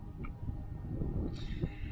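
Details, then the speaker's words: Trailer ABS self-test with the brakes applied during inspection. A low rumble, then a sharp rush of air as the valves dump and cycle; normal ABS check. "i click on it that applies the brakes and then you can hear it test the abs"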